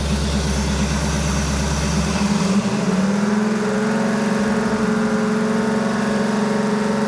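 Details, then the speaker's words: 1975 Ford F150 fresh 390 FE V8 just after first start, cam break-in at about 2500 rpm for 30 minutes while warming up: revs climb from idle to steady, even fast idle with smooth exhaust note; header coating burning off; normal. "Okay, now it's breaking time. So, I need to bring this thing up to temp and we're going to run this at about 2500 RPM for about 30 minutes."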